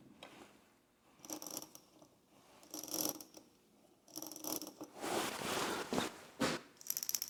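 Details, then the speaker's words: Briggs and Stratton engine on a Brutus Power Roller, recoil clutch after disassembly, cleaning and reinstall: fast, light, even clicking as the pulley is hand-turned. It now ratchets freely one way and locks the other. What made the balls hang up is unclear. "You can hear it ratcheting now, so it turns one way, locks in the other way."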